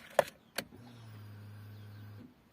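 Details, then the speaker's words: Opel Corsa Z14XEP with crank-no-start and check engine light: ignition on gives a couple of clicks, then a steady low buzz about 1.5 seconds as the fuel pump primes normally; car then starts. "I want to hear the pump go on. There we go. Pump went on."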